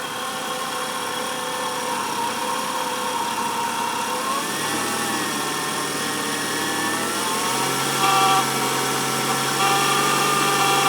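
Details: 1994 Nissan Altima engine running with a whining tone that climbs and shifts with revs, most noticeable around 2000 RPM, present warm or cold; alternator already replaced without change, cause not found.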